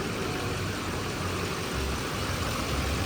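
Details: Silverado Duramax 6.6 diesel 4x4 after Hurricane Helene salt-water storm surge, idling during a leak check before shutdown: steady even smooth low rumble, no knocks or misses. Normal diesel idle.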